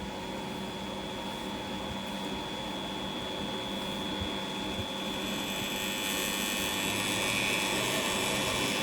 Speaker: พัดลมหมุนปกตินะครับแต่หม้อแปรงหม้อแปลงมีเสียงค่อนข้างดังเลยเนาะ